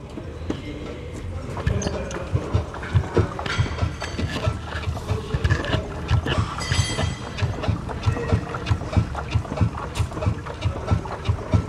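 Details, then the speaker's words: Jeep Compass 4x4 with 48,000 km: steady dull low thumps, about one and a half a second, recorded with the microphone beside the front stabilizer bar; loud knock inside the car from worn stabilizer bushings. "Jeep Compass é olha aí tá na moda não tá rico compras com 48.000 km barulho absurdo dentro do carro bam bam bam vamos cobrir a solução bucha de sabotador"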